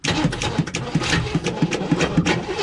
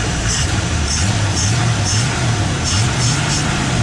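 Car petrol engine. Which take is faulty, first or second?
first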